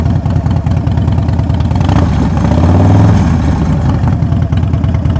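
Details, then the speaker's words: Motorcycle at a Copart auction just after start-up: a deep, lumpy V-twin idle swells smoothly with a throttle blip and settles back evenly, runs great. The brake pedal is bent and twisted, and the bike is presumed to have gone down on that side. "Man, it runs great. Sounds amazing. Sounds amazing."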